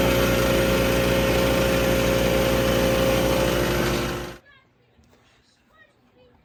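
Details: Harbor Freight Predator 3500 inverter generator at 984 hours, hot after running, eco mode off: steady high-pitched drone for about four seconds that then shuts off cleanly; the generator itself runs normally.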